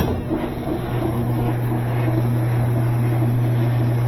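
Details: Washing machine with new water valve, loaded with spun-out clothes on spin: deep drone with rhythmic thumping about four times a second building as drum speeds up, machine walking backwards out of place; worn suspension snubber pads.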